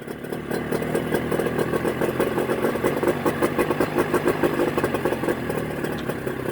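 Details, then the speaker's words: Mercury 25 HP two-stroke outboard in neutral after Boyesen power reeds installed, idle being set with the throttle cam: fast, even burble holding steady idle with no stumbles or surging. Normal idle. "send me your reaction again running very good hey it works great now you're playing with the cam all right for the idol idol"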